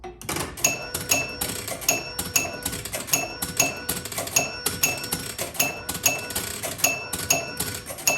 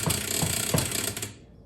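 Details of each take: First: 1976 Bally Flip Flop electromechanical pinball, under restoration: after the ball drains with double bonus unlit, a steady run of bright chimes and relay clicks scores the 13,000-point end-of-ball bonus 13 times, the regular bonus working normally. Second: 1976 Bally Flip Flop EM pinball: quick sharp clicks and rattly chatter from the relay that alternates playfield features, lights flickering when the machine vibrates; its switch contacts need cleaning.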